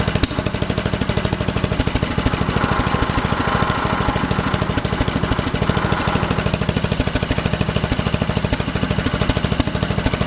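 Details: 1974 John Deere 112 with newly swapped 16 hp Kohler K341 (replacing 12 hp K301), just started, running: steady, fast, even thumping beat at constant speed, no knocks or misses, engine noted as shaky; normal running.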